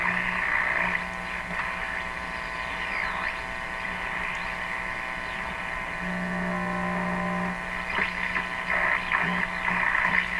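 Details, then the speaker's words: Viking EMU61 valve (tube) radio after replacing one capacitor, before replacing the chassis grounding capacitor and resistor: steady low hum under hiss, whistles sweeping as the dial is tuned; receiving normally. "the radio appears to be working sounds sounds kind of normal let's see if we can pick up the station"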